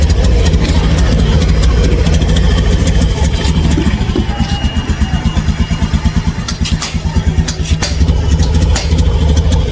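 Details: Honda, fuel filter and fuel pump already replaced per workshop advice but problem persists: rough, uneven lumpy idle with loose rattly clatter over exhaust beat and sagging pulses; engine sounds noisy and weak, feels heavy, cause unclear.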